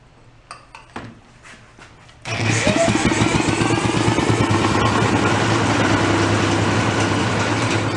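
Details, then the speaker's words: Antique two-stroke inboard marine engine that sat unused for 35 years, run again after it flooded and the fuel was topped up: it catches and runs with a smooth, even putter of about three and a half beats a second; normal running. "that sounds nice and smooth doesn't it"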